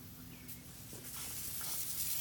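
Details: Residential sprinkler system switched manually to zone one, front yard: hiss rises into a steady spray; working normally.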